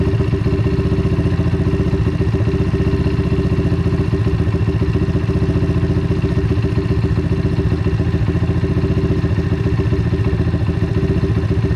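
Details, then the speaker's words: Apollo RFZ DBX18 125cc dirt bike with new carburetor and quick-adjust idle screw: steady, even single-cylinder thumping at idle with no misses or hunting while the screw is set for highest rpm; running clean. "so idle up and we'll start adjusting you don't want it too high you want to be able to hear when a rpm start to rise"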